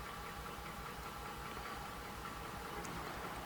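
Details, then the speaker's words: Ford F150 with the 5.0 Coyote, about 120,000 miles, new battery, coil pack and spark plug fitted: uneven stumbling idle; cylinder six keeps misfiring with its injector disabled, so a faulty injector is suspected. "so as you can see number six is still misfiring so I disabled the injector and it still has misfire"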